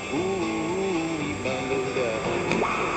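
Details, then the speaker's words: Old radio tuned to a weak signal around 1200 kHz (about 240 m) using a homemade 22-inch, 10-turn loop antenna with a 500 pF tuning capacitor. Whistling tone slides and jumps in pitch as the aerial is tuned. Intermediate-frequency interference, beating with the IF cans. "that bit, that's interference on the intermediate frequency, it's beating with the IF cans."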